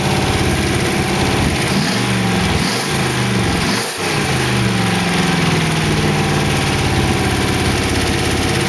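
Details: 1914 Dodge T-bucket roadster V8 with carburetors, warm after first start: steady, even idle with a couple of light throttle blips and no knocking or ticking. Good oil pressure; the early lifter tick had calmed down. Sounds good.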